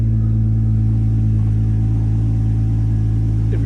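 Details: Jeep Cherokee XJ with turbocharged 4.0 L conversion, first start after rewiring: engine catches and settles into a steady, even idle with a smooth low hum, no knocks or misses; oil pressure confirmed.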